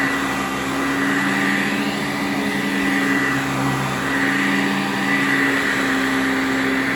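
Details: 1987 Eureka Sanitaire SC648-B upright vacuum with metal motor, new belt and freshly greased bearings: steady motor whine over a rough, uneven whirring rumble, believed to come from the original or over-10-year-old brush roll rather than the bearings.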